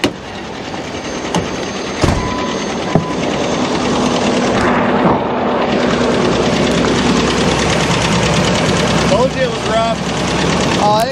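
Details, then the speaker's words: 2006 Ford F-150, 198,000 miles, driven to work after all oil drained out, still has a little oil pressure: rough idle with uneven light clatter over the engine note; engine knock from oil starvation. "he went to go drive it one morning after the oil came out and drove it away to work and uh that's when we did a little bit of damage to it"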